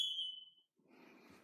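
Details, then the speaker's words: Kidde/Firex ionization smoke alarm, mounted higher than the others; shrill steady tone sounds about half a second then stops; it responded slower than the other alarms, owner suspects mounting height. "oddly enough the smoke alarm didn't respond as fast as I did as the other one did which is very peculiar let's try this one again yep let's take time than the other smoke alarm so I have to look into why that is"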